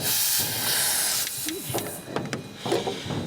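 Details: Skope Pegasus underbench fridge regas with a refrigerant charged in smaller amounts than R134a: sharp gas hiss for about a second, then short bursts as the charging hose is purged before filling.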